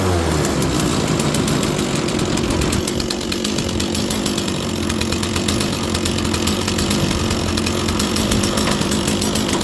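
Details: Stihl 036 chainsaw that sat probably 20 years, primed and now drawing its own fuel from the tank: a steady, even, high-pitched two-stroke buzz at constant speed with no stumbling or surging; normal running.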